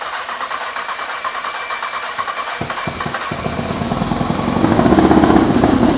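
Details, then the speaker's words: 2003 Honda CBR954RR, sat outside 15 years, running on its own from a temporary tank off another bike with little fuel: fires and runs steady, rising slightly; gasoline pouring from the unplugged return line, spray not audible. "WHAT IS THAT? OH, we are pouring gas."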